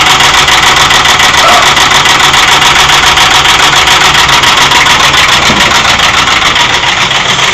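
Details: 2001 Ford F-150 4.6-liter V8 at idle: fast, even ticking knock, roughly three or four per second, over a loud steady engine; engine knock of unknown cause.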